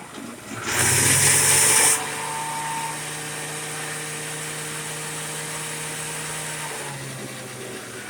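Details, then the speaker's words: Shopsmith just serviced, oiled, greased, tight handle freed: quick spin-up with brief high shriek, then steady, clean motor hum at constant speed, running freely and healthy. "I serviced it today, oiled it, greased it, went through everything, found out why the handle was all tight in it, got that loosened up, and it just spins up like crazy now."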